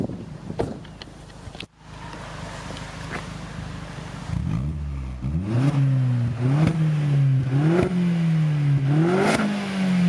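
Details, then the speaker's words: Vauxhall engine free-revved while stationary, recorded from outside: several sharp revs dropping back cleanly with crisp exhaust pops and flutter on each lift-off; normal healthy revving. "Whoa, naughty. Nice bit of flutter. Fucking sick that, man. You can hear the exhaust pop and then get flutter around the front."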